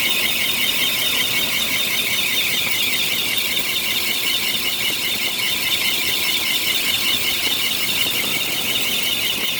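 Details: 1993 Bentley Brooklands, squeal suspected from the A/C compressor clutch bearing: loud, piercing steady squeal with a slight warble and little engine rumble beneath, from the front; cause suspected, not confirmed.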